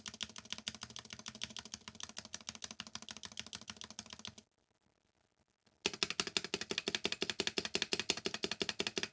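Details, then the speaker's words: Novelkeys NK87 Entry Edition keyboard, polycarbonate plate, stock unlubricated stabilizers: large keys pressed about three times a second clack with a bright loose rattle, space bar and right shift worst. "okay so my opinion is all of them are bad [Music] but there are some that are noticeably worse than others such as the space bar and the right shift these two are the worst offenders"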